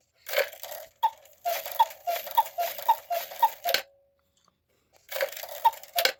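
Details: 1950s Gebr Kuner cuckoo clock with spinning couple figures, modified Regula 1 movement, after full overhaul and oiling of front figure gears: even cuckoo calls with bellows puffing about every half second; strike runs freely without hesitation.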